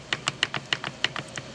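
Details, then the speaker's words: Trail Gear 4.9:1 Suzuki Samurai transfer case, disassembled, with the shaft rocked by hand; sharp uneven metallic clacks come from excess backlash and loose engagement between the input gear and the countershaft gear, suspected source of the clacking. "sound that's those gears slapping back and forth due to that slop a lot of slop between these two so that's the issue I think that's where it's coming from"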